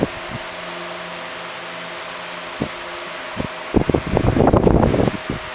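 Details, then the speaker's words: 1976 Electrohome 30 cm (12-inch) desk fan, four clear blue pitched blades, on high speed: steady motor hum and constant whir, a few handling knocks near the end, running smoothly and normally. "the low speed is very slow and quiet but already blows a lot of air and then the medium and high speeds are insane very fast and very strong"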